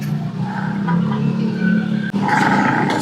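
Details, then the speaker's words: Honda ADV 160 scooter, rear CVT torque drive spun bare with nothing attached: dry, scraping whine with wavering pitch; worn, dry, stiff torque drive bearing causing sluggish acceleration and high fuel consumption, to be replaced. "o, tulog na tulog. Kaya mabigat yung arangkada, tsaka malakas kumain ng gas yan guys."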